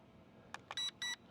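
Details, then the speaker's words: WeFone WF40 GPS drone controller: after button clicks, two short high beeps confirm the switch from slow mode (about 2.8 m/s at full stick) to high mode (about 5 m/s). "you hear the 2 beeps, that's high mode. And let's see how much faster."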